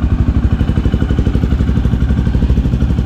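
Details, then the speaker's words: 2008 Honda Twister 250cc motorcycle after carburettor idle screw turned in slightly, fuel tap open, no throttle: steady, even putt-putt about four pulses a second with no hunting or stumbling; idle now good. Normal idle. "Ué aí é galera a lenta dela ficou boa vocês viram"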